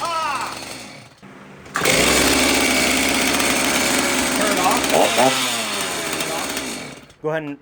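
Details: Rebuilt straight-gassed Stihl MS390 chainsaw restarted after rebuild: starts, then a strong, even high-pitched buzz holds steady about five seconds before cutting off; engine runs healthy, though the oiler doesn't move freely and needs replacing.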